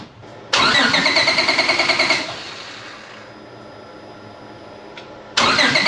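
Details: Honda Civic EG drag car after J37-to-J35 engine and transmission swap: two bursts of steady starter cranking, about three turns a second, with no firing, no air from the exhaust; slow to start.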